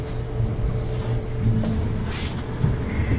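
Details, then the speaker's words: Gas dryer after replacing the faulty gas valve assembly that caused a whistle whenever the flame was on: low steady drum rumble with a few soft thumps and no whistle; runs normally after repair. "we have a normal sounding dryer no more whistle"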